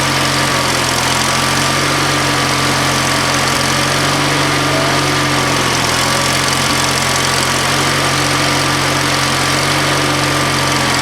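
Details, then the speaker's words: Used lawnmower engine on old Ariens walk-behind mower, half throttle, full choke, battery start, possible water in bottom: holds steady, even idle with no misses, knocks or surging; runs normally. "Oh, we got a pop. It ran good. That sounded really good."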